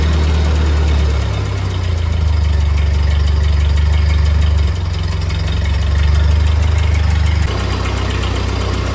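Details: 1948 Ford 8N tractor engine after a full rebuild, idling in neutral after a PTO check; new carburetor still needs fitting and adjustment: steady, low, even putter with no knocks or misses, just a slight waver in speed. Normal idle.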